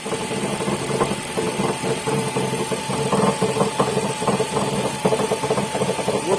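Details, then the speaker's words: Ford idling, clutch pressed, garage echo: uneven metallic rattle and clatter over steady idle; worn dual-mass flywheel rattle, gearbox to be removed for flywheel replacement. "После запуска двигателя стук станет слышен отчетливее, поскольку в гараже создается эхо, благодаря чему он становится более отчетливым."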